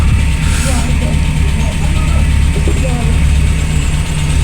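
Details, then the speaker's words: VW Polo Classic, warm engine, started with no throttle after coolant temperature sensor swap: low, even idle holding steady with no hunting or surging; earlier idle fluctuation (previously 1500–2000 rpm) now cured. "Sounds like it's warm. Idle sounds better. I didn't even have to put foot on the throttle, anything. I just literally started it up."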